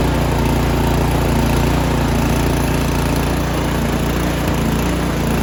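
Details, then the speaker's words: Troy-Bilt 2410 snow blower, year-old engine stored all winter, started on choke at full throttle: uneven lumpy beat about two pulses a second, running rough at the end; likely gunk in the carburetor, before cleaning. "all right you can hear that kind of running rough at the end all right sorry about that the air compressor kicked on um yes it was a little run a little rough there at the end and so that tells me odds are there's just a little bit of gunk inside the carburetor"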